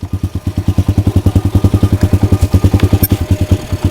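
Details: Pit bike after carburetor fiddling and a swap to a spare carburetor, motor missing some mounting bolts: slow, uneven chuffing, about three or four pulses a second, as it struggles at idle. The fuel tank turned out to be empty.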